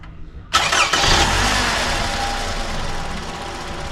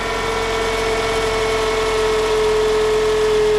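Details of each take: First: 2010 Toyota Camry after replacing a noisy alternator: brief crank, catches and settles into a smooth, steady idle with no knocks, ticks or squeals; everything quiet, normal idle. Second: 2010 Toyota Camry idling before alternator replacement; steady unwavering mid-pitched whine over idle, with a burnt plastic, metal and rubber smell — failing alternator whine, to be replaced.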